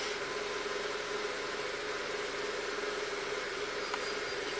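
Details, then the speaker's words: 2003 VW Passat 1.8 turbo, 150k miles, long-sitting, hard to start, code P0341: idles with uneven, slightly shaky beat under a steady hum despite a clean cam sensor signal; rough idle, mechanic suspects cam timing is off. "signal looks beautiful doesn't it still runs kind of rough he's going to our ECM so I bet the timing is going to be off on this car"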